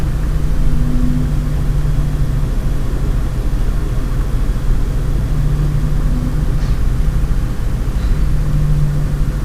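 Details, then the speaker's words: Lian Li 217 Infinity PC case, stock fans stepped down to 30% and 20%: a low droning hum swells and fades every few seconds over steady fan rush. Owner says it persists even at 10% and blames stock fan resonance. "it's happening even on 10% RPM, fan speed. Okay? There is no way you can stop this."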